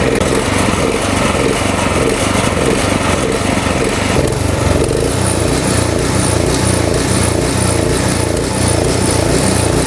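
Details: Small single-cylinder snowblower engine surging, its note rising and falling unevenly instead of holding steady, like a hunting governor; Seafoam tried as a fix.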